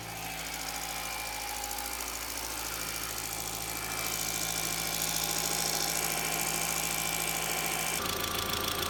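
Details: MK4 Jetta 1.8T idling after head gasket repair with replacement head, new timing belt, water pump and thermostat; steady even idle, smooth mid-pitched hum, no knocking or misfire; smoke, suspected valve cover leak from omitted camshaft covers.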